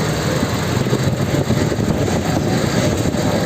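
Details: Old Toyota Fortuner 4x4 after replacing broken AC compressor magnetic clutch centerpiece plate: steady even idle with compressor engaged turning smoothly, no chatter or grinding; AC cooling normally again.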